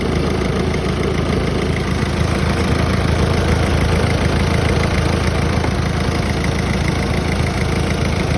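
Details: Peugeot 508 idling after a clutch swap: intermittent dry metallic rattle over low engine hum from the gearbox-controls heat shield plate, which detached because it was not properly latched in place.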